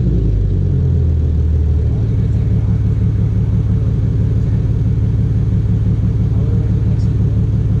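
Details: Infiniti G37 idling after valve cover gasket and spark plug replacement: a smooth, even low idle with a steady deep rumble and no knocks, misses or ticks.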